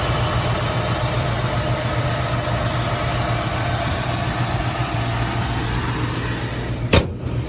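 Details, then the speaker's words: 1967 Ford Mustang with 289 high-performance V8 and automatic transmission, engine rebuilt less than 5,000 miles ago, started after a couple of pedal pumps: steady, even low V8 rumble with no misses or knocks. Normal idle. "so key in couple pumps fires right up very very reliable listen to the motor"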